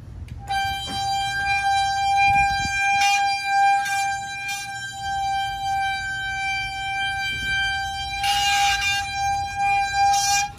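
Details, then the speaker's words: Road bike disc brake squealing loudly in steady high-pitched bursts as the wheel turns, after Finish Line cleaner was sprayed on the rotors, pads soaked and dried and sanded; the fix didn't work, and the pads may be too far gone. "It didn't work like I wanted it to. So maybe I'm doing something wrong."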